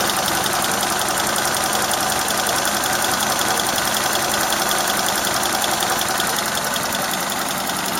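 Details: Engine warmed to operating temperature, idling with fast, fairly even tapping about three beats a second over hum and noticeable vibration; owner unsure whether a valve ticks or shafts rattle; corrugated pipe leaks slightly.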